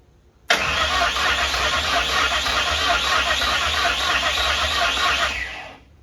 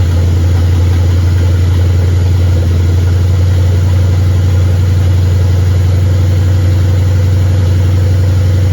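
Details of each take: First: 1959 Ford wagon with standalone Lincoln Town Car EEC wiring: steady fast cranking for about five seconds that never catches; injectors fire but the fuel pump gets no power or signal; crank no start. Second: 1959 Ford wagon with Lincoln Town Car EEC wiring and standalone harness, first start with fuel pump jumped and many items unhooked: smooth, even idle, steady low drone, no misses, knocks or stumbles, not smoking; normal idle.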